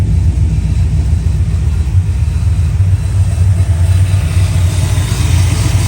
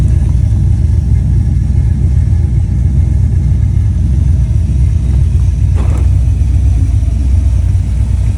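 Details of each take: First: Fox-body Ford V8 after roller conversion with Duraspark removed: deep, steady rumble at idle with no top-end ticking, revs fast; yet under load it misses and hesitates until about 3000 rpm, distributor suspected. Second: Ford Fox body V8 after a roller conversion, Duraspark removed and a distributor fitted: a loud, deep rumble pulling hard with a crack midway, missing and hesitating under load until about 3000 rpm; owner suspects the timing needs adjusting.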